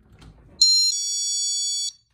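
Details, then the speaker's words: GE Personal Security magnetic window/door alarm, battery operated, set to door-chime mode, triggered by opening the door: short handling noise then a bright two-note electronic chime for about a second, like entering a business; working properly. "now that kind of sounded like you were walking into a business so i like those two settings"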